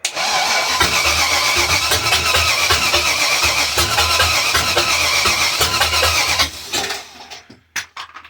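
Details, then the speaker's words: Volvo Penta AQ271 boat engine, Chevrolet 350 small-block, first start with timing roughly set: long even starter churn about three beats a second without firing; cranks but does not start. "It's making the right noises. She is sucking Yes, you're beginning to sound like you want to do something, but I have no idea if you really do."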